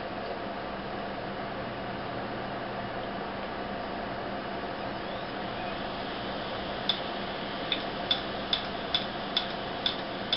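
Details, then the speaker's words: Dead SATA hard drive running with its cover removed: a steady hum, then sharp clicks about twice a second as the head arm slaps back and forth, failing to find data. Click of death. "As you can see, the armature head is slapping backward and forward until it locks into position and can no longer find the data. That's when you know your hard drive is dead."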